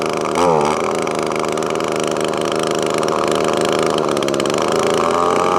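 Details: Echo ES2400 leaf blower with new replacement carburetor, high-speed mixture screw backed out in half and quarter turns: uneven drone whose revs climb and steady as it richens, showing it had been running lean.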